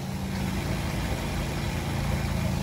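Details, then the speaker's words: RV fresh water pump flipped back on after kitchen faucet replacement and closing drain valves: steady low drone with faint pulsing hum starting up and holding even; normal pump operation. "And then we need to flip our pump back on. Hear it kick on."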